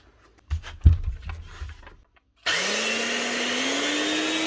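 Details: Old Makita 9609B 9-inch grinder, before restoration: motor spins up with a rising whine that levels off, overlaid by a harsh rough hiss; worn bearings needing replacement, with sparking on one side suspected from the brushes.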